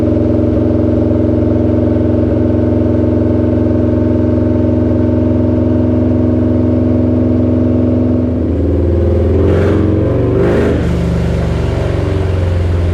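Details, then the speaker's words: Harley-Davidson Lowrider S, Milwaukee-Eight 131ci Stage IV kit, stock compression, Cycle-Rama 512 cam replacing Screamin' Eagle 517: full-throttle dyno run, deep even V-twin roar at high revs then easing off cleanly, strong regular firing; made about 147hp and 149ft-lb, healthy. "But anyway, let's get this thing on the dyno, ramped up, and see what we can squeeze out of it."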